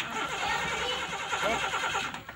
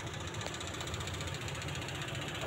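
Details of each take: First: Suzuki Carry Extra running on LPG gas: steady starter cranking, the engine turning over evenly but never firing; hard starting, with unstable ignition spark later suspected but not confirmed. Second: LPG-fuelled utility vehicle that was hard to start with an unstable idle, after repairs (distributor/coil tagged): steady, even idle with a soft low throb and no misses or stumbles. It is now stable and running well.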